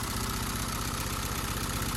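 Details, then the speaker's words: Audi 80 1.8 mono idling after the fix, reseating the central ignition lead from the coil that had pulled out: an even, steady idle with a regular low pulse and no misses or stumbles. It runs normally. "Енді қазір қарап жүрейік, осырама, осырмай ма, нормально"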